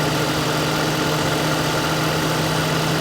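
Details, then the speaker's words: Lincoln Town Car at idle after 3-in-1 stop leak and a full can of Freon, its compressor previously cycling on and off: now an even idle with a steady hum from the compressor running full-time, no rattle or squeal, blowing cold. "I put the whole can in there, and you can hear that compressor. It is completely full-time going."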